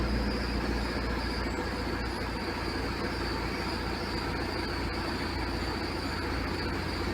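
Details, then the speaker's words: VW Caddy 1.9 SDI naturally aspirated diesel (c.1996–99), Bosch ECU 0281001407/408 unlocked after immobilizer made it start and die (fault 17978/P1570); after unlocking it starts and settles into a steady, even low diesel idle, no stalling or hunting. "ξεκλειδώθηκε ο εγκέφαλος και πατάμε μύζα [χειροκρότημα] και παίρνει μπρος."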